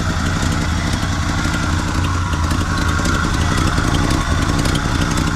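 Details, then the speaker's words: 1974 Chevrolet C10 pickup, small-block V8 (claimed Corvette motor), off the road over 10 years: rough loose idle with uneven puffing chuff over the rumble, significant exhaust leak; smoky, smells of burning oil and bad fuel. "All right, so we got a significant exhaust leak over here."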